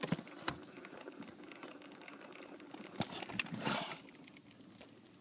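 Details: 2008 Toyota Sienna: light, uneven ticking and tapping from behind the dash with the engine quiet; intermittent HVAC clicking, owner suspects an actuator problem.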